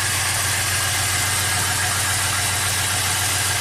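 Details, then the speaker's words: 2004 Pontiac GTO 5.7 LS1 V8, 6-speed manual, 34,000 miles: steady idle with an uneven stumbling beat under a loud hiss from the open bay; misfire counting on cylinders 1 and 8, feels like a single cylinder. "So let's start it up, see what it does. It's definitely misfiring."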